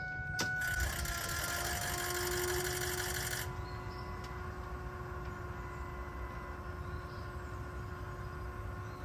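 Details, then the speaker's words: Ford 6.0 diesel F450 wrecker with low fuel pressure, rusty fuel and dirty filters from a rusted long metal tank; faint, thin steady fuel pump whine with no surge, pump sounds weak. "And along with this also, I'll let y'all hear the pump, but it sounds sad."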